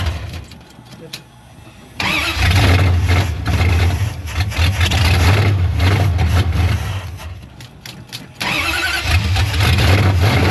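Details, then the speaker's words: 1973 Dodge Charger, 383 big block, long parked, bottle-fed carburetor, choke was closed: fires and revs but lumpy, surging and sagging; runs on eight cylinders but rough, carburetor judged trash and needing replacement. "No, this thing just not happy. >> It runs. >> Yeah. >> On eight, but uh >> it needs a carburetor."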